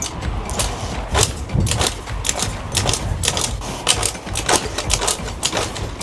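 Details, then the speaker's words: Suzuki Choinori 50cc scooter, after carburetor cleaning and refilling with clean fuel through a filter, no fuel leaks: repeated clattering, ratcheting crank bursts with no catching; cranks but won't start, before the spark plug is replaced with an NGK Moto DX. "It won't start (despair) Why? Why? The engine won't start, but it doesn't seem like there's any gasoline leaking, so it seems fine"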